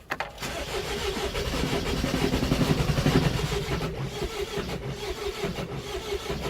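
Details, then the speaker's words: 2001 Mercedes Sprinter W903 diesel, long unused, cold start with Easy Start, owner suspects glow plugs not working, glow light staying on: starter churns, engine fires unevenly a few seconds then fades out; hard start, stalls after catching. "Tantalisingly close. Come on, you bastard. Ah, balls."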